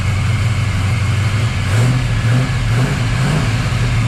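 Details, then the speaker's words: 1979 Camaro Z28 V8 after replacing the noisy Pete Jackson gear drive with an Edelbrock double roller timing chain, new balancer and water pump: first start, cold engine, loud but even slightly loping rumble with no gear whine; normal idle. "I know it probably sounds loud but that is super quiet cuz you know don't hear that Gear Drive"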